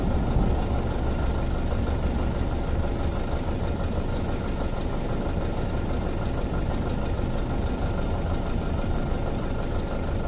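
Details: 2006 Audi A4 2.0T at idle with codes P0300 and P0303: low uneven beat with occasional stumble, cylinder 3 misfire; missing exhaust pulse seen on pulse sensor; weak fuel pump found earlier.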